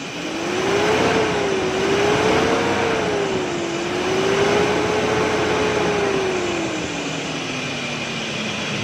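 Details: Toyota/Datsun pickup running on CNG with a starting problem: the engine catches and runs cleanly, revs rising and falling smoothly, no misfire. Normal running after the gas adjustment was corrected, since too little gas was reaching the engine.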